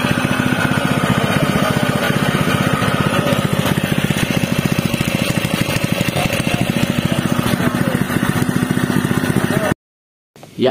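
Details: Honda WB30XN water pump, GX160 5.5 HP single at about 3600 rpm, converted to run on LPG from a 3 kg cylinder: even single-cylinder putter at a fast, steady beat, no misfires or surging; sounds about the same as on petrol.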